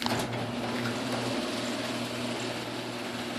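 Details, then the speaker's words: GeniePro CM8600XL/M screw-drive garage door opener, uninsulated and lubricated, in cold weather: steady loud motor drone with low hum and rattly buzz; much louder than the other openers, no distinct fault. "this opener is very loud as you can see and this opener actually it makes a a way a a much bigger racket than the other ones because it's not insulated"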